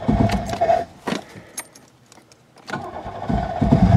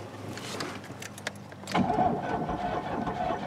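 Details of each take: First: Buick LeSabre that sat about a decade outdoors: cranks with a few stumbles, catches at about three seconds, and settles into a steady, even idle, though smoky; engine running normally. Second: Buick LeSabre sat about a decade outdoors, on a jump pack with a likely dead battery: faint clicks then the starter spins the engine steadily with no firing, cranks but won't start; starting spray tried next.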